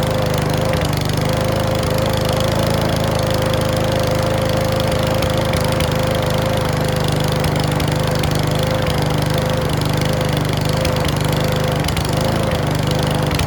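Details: Mountfield V35 150cc mower (HP414, 38cm cut) after a carb clean; runs at steady speed with irregular pops and clacks breaking through the drone. Owner suspects the carb needle needs sorting; possibly low on fuel. Not confirmed.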